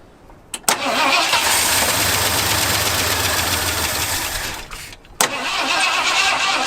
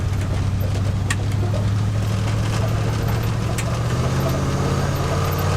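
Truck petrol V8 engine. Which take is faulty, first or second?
first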